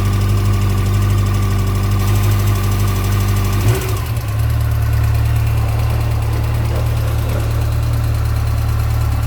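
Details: 2006 Yamaha FJR, 53,000 km, at idle; owner suspects cam chain noise. Quick, fairly regular ticking chatter about three per second over the low hum; source unconfirmed: engine noise.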